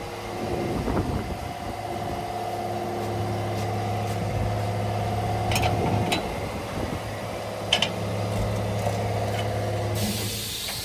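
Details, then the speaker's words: 1967 Chevrolet Impala V8 idling after its oil-fouled spark plug was cleaned and refitted: a light, regular tak-tak valve-train tick; mechanic says the noise goes when the lifter is pressed but returns when released, so a lifter problem is suspected. "Bu sefer de oradan Tak tak vuruyor ya şunda galiba şey var o sibop vuruyor tak tak tak tak tak onda sıkıntı var"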